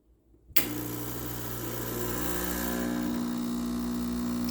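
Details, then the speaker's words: Gaggia Classic Pro espresso machine after PID and OPV installation, PID set at 199: pump kicks on and holds steady even buzzing hum, gauge rising to just under 10 bar; normal pump operation at brew pressure. "As you can see, it goes right up to just under the 10 on there."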